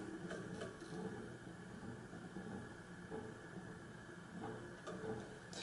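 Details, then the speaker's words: HRS industrial ceiling fan on a run test through capacitor steps after WD40 and oil treatment: low steady motor hum with faint, uneven rattling clicks from loose bearings not sitting tight in the center, not stiff or corroded. "that noise is it's not stiff bearings or corroded bearings it's actually loose bearings in there that are not sitting tight in the center"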